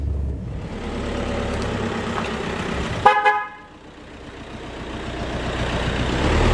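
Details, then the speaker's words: Horn test on a £4,000 Mk4 VW Golf (bought as the best-version comparison to a 2004 Bora 1.9 TDI), engine idling: one short, clear horn blast of about a third of a second; horn works, washers checked next. "So, horn works, windscreen washers."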